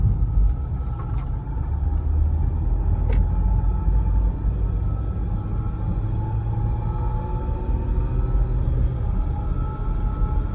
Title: E90 whining noise when driving, differential?